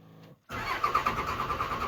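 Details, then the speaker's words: 2002 Dodge Cummins 24-valve diesel cranks at a steady, even pace but never catches; dash shows no-bus error, and it starts only when an OBD scan tool is plugged in, dying once it is unplugged. "truck will not start"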